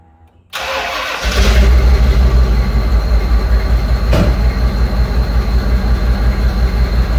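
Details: 1995 Ford Bronco V8 after replacing a leaking throttle body gasket: it cranks, fires and settles into a deep, steady idle with no whistle or hiss. Normal idle, whistle cured.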